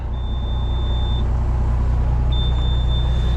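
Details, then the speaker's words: Diesel grain-hauling machine idling with two long, shrill warning beeps of about a second each, caused by a faulty low engine oil pressure sensor; the engine itself is fine. "this is going to be annoying all day so we're gonna basically have a low engine oil pressure sensor out so everything's still good I know that for sure so uh we're just gonna send it and listen to this beeping all day"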